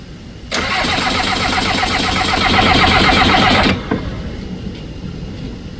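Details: Skid loader diesel cranking while bleeding air from the fuel system, little fuel reaching the top side of one injector: steady starter churn about four beats a second for three seconds, no firing yet.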